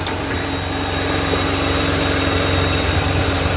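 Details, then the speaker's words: 2009 Toyota Highlander 3.5 V6 after replacing the drive belt and the noisy belt tensioner: steady, even idle with no chirp or squeal from the belt side; tensioner noise gone. "finally we done the job [Music] so you can see no any noise now"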